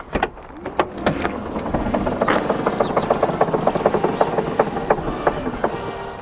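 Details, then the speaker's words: Tesla Model X P90D with 20-inch wheels, powered tailgate opening: rapid rhythmic creaking over a thin high motor whine as the lid rises; the squeak is described as intended. "It's supposed to make that noise."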